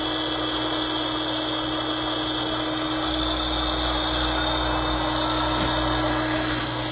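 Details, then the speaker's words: Jet pump returned on a warranty claim, bench-run: a steady motor hum with a harsh, gravel-like grinding that seems to come from the motor side. The cause is unconfirmed and it is likely not worth repairing. "All right, so after running the pump, there's definitely an audible kind of grinding noise. It sounds like there's gravel or something. And it seems to be emanating from the motor side of things."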